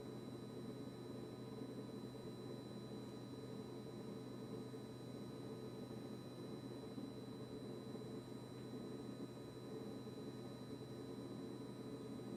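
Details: KitchenAid KRFC704FSS00 refrigerator: constant unbroken compressor buzz with a steady hum underneath and no cycling, starting after a service visit.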